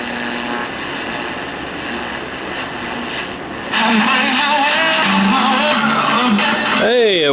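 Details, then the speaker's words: 1952 RCA 1X52 five-tube AM radio after filter capacitor replacement, silver mica disease and broken IF transformer wire repairs: steady hiss and crackle then a clearer station swelling in; normal radio reception. "well that sounds good after all that [Music] work good to save a radio that was just about not going to be able to be saved"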